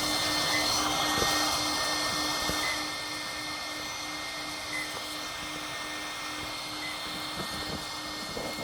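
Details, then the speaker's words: LESU AOUE Kobelco SK500 LC model excavator, new, powered at 12.4 volts, 1 amp, 26°C before hydraulic oil fill: steady airy whir of three electronics cooling fans with faint constant tone and soft ticks; fans normal. "But the sound that you hear is right here. There's 1, 2, 3 fans running to cool everything."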